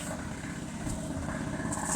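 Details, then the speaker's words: Outboard after submersion, WD-40 drying and carburetor cleaning, about to be run under load with propeller engaged to warm up and dry out remaining moisture: steady, even running with no misses or surging; runs cleanly. "So now I'm gonna run the engine under load, that means the propeller engaged, so that the engine will get up to temperature just to dry out all the moist and all the waters that's still inside of it."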